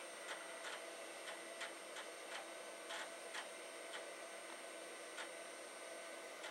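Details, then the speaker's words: Amiga 2000HD floppy drive (DF0/DF1): quiet regular clicking about three a second as the drive grinds, steps and struggles to read the disk; drive zero did not come up. "well they are grinding and one of them has come up just drive zero did not seem to come up"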